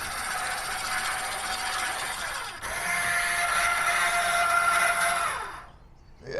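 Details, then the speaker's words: Original 2013 RV 5th-wheel rear landing gear motor: harsh, high gritty grinding with a steady whine on top while the motor runs, then stops; the internal bearing is worn out, and the motor is replaced with a new one. "This thing is original 2013 and it's pretty bad. It's got a bearing inside here that's toast making a hell of a noise."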